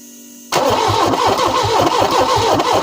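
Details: Peugeot 405 Mi16 first start attempt after sitting 5 years, alternator and belt removed: starter chugs at about five compression beats a second but never fires, crank no start; injectors suspected clogged or ECU faulty, not confirmed.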